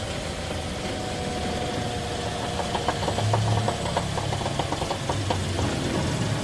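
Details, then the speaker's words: Toyota Altis, front wheels turning forward and reverse, noise on both front sides that the customer blamed on the brakes. Dull rumble with a faint mid-pitched whine and uneven pulses. "Narinig niyo mga boss, both side dito sa harapan ng gulong niya may maingay. Na ang kiniklaim ng customer is sa preno niya. Nanggagaling yung ingay."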